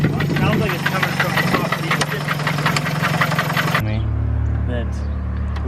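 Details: 1987 Toyota Corolla, reportedly on its second engine, running: a quick light ticking from the top end over the idle, then it settles into a lower drone; cause unknown.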